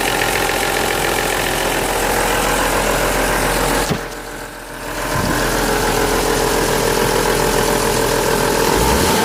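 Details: BMW Z3M / M3 S50B32 six at low rpm after gentle revving: a dry, busy VANOS rattle, caused by failed seals, blocked filters, worn bearings and cam gears.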